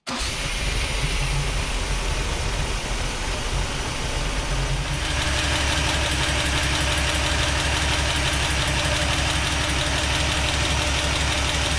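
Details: Toyota FJ40, first start after a full engine rebuild, on water instead of coolant: rough idle with a light, even tapping about three per second above the engine; timing is off, a vacuum hose is missing so it runs very rich, and the lifters need re-adjusting.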